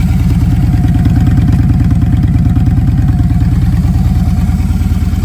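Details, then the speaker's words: Victory Judge V-twin with a 2-into-1 exhaust at idle: a deep, lumpy, loping beat of about three pulses a second that shakes like a Harley, which is unusual for a Victory; the owner suspects an unknown modification. "Now, I know something's been done to it because it shakes like a Harley. Victories don't do that unless something's been done to them."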